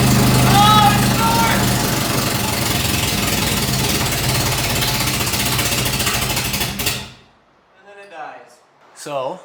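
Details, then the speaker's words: Nissan S13 first start after full engine rebuild, distributor not yet adjusted: catches and runs unevenly about seven seconds then dies; starts and stalls, timing suspected severely off. "it's starting and then dying. I'm hoping that it's our distributor cuz you can adjust the timing by turning this, you know, clockwise or counterclockwise."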